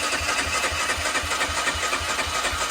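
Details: 2004 Honda CG125 barn find, unrun for years, choke on: steady cranking at about four pulses a second that never catches; it won't fire.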